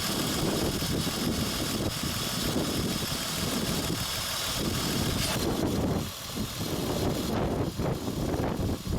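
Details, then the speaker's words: 2003 Honda Odyssey 3.5L with code P0305 cylinder 5 misfire, running with a jumper wire supplying power to the non-firing ignition coil; steady smooth idle with no stumble, running much better. "yeah can you see now yeah can you tell the difference you see how it's running it's much better now we have power here"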